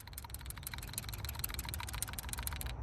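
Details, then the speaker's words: PCV (positive crankcase ventilation) valve removed from a 50,000-mile vehicle running a catch can, shaken by hand: quick crisp clicking rattle shows the check valve moves freely, a healthy sign. "I don't know if you can hear that rattle. If it rattles like that, that's actually a good thing."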